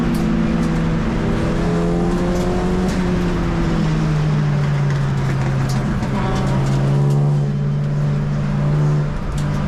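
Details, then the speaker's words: Modified Ford race car at Mallory Park under hard acceleration; rising drone with a dull thudding vibration that worsens whenever the throttle is pressed. Driver feared the driveshaft would let go and damage the engine, ancillaries and gearbox. Driveshaft bearing failure. "Now already here I could start to feel the vibration under acceler. generation and you can hear the sound of it as well."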